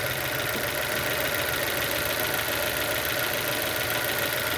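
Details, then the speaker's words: 2007 Nissan Y11 Wingroad QG15DE (cable throttle) after repair, steady even idle held in the 800s with a smooth hiss and no hunting or surging; rich running traced to stuck fuel pressure regulator, idle set manually as ECM IACV driver burnt out. "So that is it for the road with respect to the idle down to the 800s."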